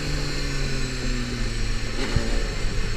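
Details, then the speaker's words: Honda CBR250RR MC22 motorcycle, recorded on a chin-mounted GoPro with a lavalier mic: low steady engine drone that sags and stumbles instead of picking up, bogging from fuel starvation as it runs out of petrol again. "bogging down sound, like that. That's the sound of running out of petrol again."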